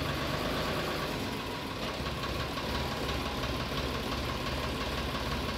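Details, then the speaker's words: Sonalika 734 DI tractor after new clutch plate, pressure plate and clutch bearing: steady, even diesel idle with no grind or clunk as the gear engages with the clutch pressed; normal gear engagement. "आप देख सकते हैं gear लगाने में कोई आवाज नहीं है ये हमारा ट्रैक्टर ओके हो चुका है"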